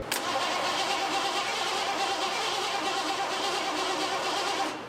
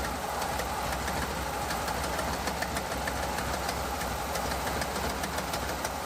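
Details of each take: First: 1986 Ford F150 5.0 EFI, sitting about 25 years, after cycling the key to prime the fuel: steady cranking for about five seconds that never fires. The owner suspects no fuel is reaching the engine and plans to check rail pressure. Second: 1986 Ford F150 5.0 EFI V8, first run after 25 years sitting, with headers and glasspack side pipes: loud lopey idle about 700 rpm, choppy burble with crisp ticking; runs steady, charging, oil pressure, slight exhaust leak.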